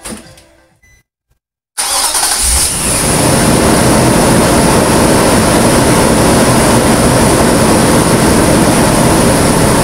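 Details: 2008 Nissan Pathfinder V8, first start just after installing a Volant Powercore cold-air intake and AEM Filter Minder. The starter whirs, the engine catches quickly and settles into a steady, even idle with a light intake hiss; sounds healthy.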